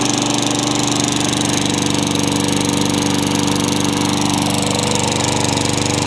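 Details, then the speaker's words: Craftsman mower with engine swapped in for the blown Tecumseh, running after the kill switch and coil were fixed to restore spark: single-cylinder at a fast even beat, no misses or knocks; healthy running. "Well, there we go. The Craftsman lives on."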